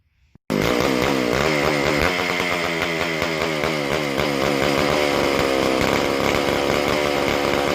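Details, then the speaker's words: McCulloch Super Pro 125C chainsaw, non-adjustable carb; high-revving scream wavers and hunts, lean from air leak; carb spray on intake boot changed nothing, but spraying the carb-to-body cork gasket calmed it, showing the leak there. "Sprayed around the front, the carb where it meets the body, and that cork gasket, if you remember from the last video, it's leaking right there. It actually calmed down."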